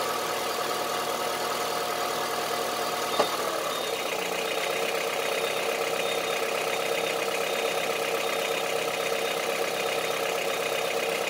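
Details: Honda CR-V III 2.4 petrol engine at idle: steady idle with a hard, clattery, diesel-like rattle over the whole run, rough for a petrol engine; engine knock at idle.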